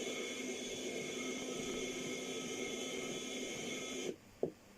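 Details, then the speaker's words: 40-year-old Walkman powered from a power supply after battery removal: steady buzzing hum with thin whistling tones from the speaker for four seconds, then cuts out; display barely readable; cause unclear. "Lots of strange sounds coming out of this."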